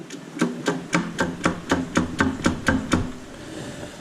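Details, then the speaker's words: Small-block Chevrolet 350 on teardown, intake off, crank turned by hand: sharp, evenly spaced knocks, about four a second for ten strokes. It does not sound happy; the cause is unknown. Knocking when the crank is turned by hand. "just does not sound happy to be honest with you"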